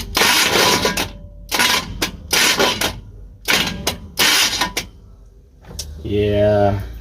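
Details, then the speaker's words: Carbureted truck that sat over a year, with carb needle and seat issues: five harsh grinding cranking bursts under a second each, then it catches and idles roughly. The starter seems not to be meshing cleanly; owner plans starter shims and new needles and seats. "starter's still jacked up so that's all I'm going to do for now but I'm gonna order new needles and seats and see about starter shims"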